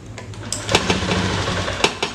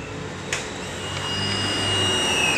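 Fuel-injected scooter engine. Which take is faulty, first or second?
first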